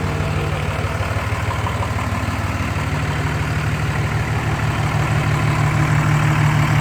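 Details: 2004 Dodge Ram 5.9 Cummins diesel after its bad injectors were replaced: an even, regular clatter at idle, about three pulses a second, with no misses; a normal, healthy idle.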